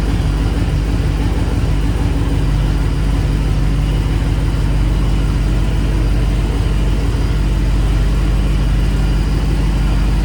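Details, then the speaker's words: 1994 Chevy C3500 dually with a swapped LQ4 V8, just fitted with a homemade Y-pipe that has gaps. A loud, deep idle with an irregular, choppy pulse that never settles; still not running right, with a wiring or injector issue suspected. "Well, it sound a little bit better. Still sounds bad cuz it's not running right, but try to get it out of my dad's shop, I guess."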